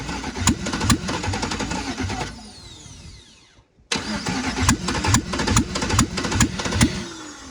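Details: 1988 Trans Am with a 5.3 LM7 LS swap during wiring work, fitted with an S10 throttle body: starter cranks steadily at about 140 pulses a minute, pauses, cranks again, and never catches; spark plug wires found off, cause not confirmed.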